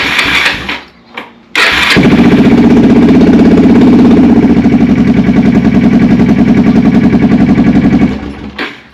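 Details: 1987 Kawasaki Bayou 300 four-wheeler that had no start and no panel lights: short starter whirr, then it catches right away and holds a steady, even single-cylinder beat for six seconds before shutting off. Normal start and idle after a bad neutral safety switch was found.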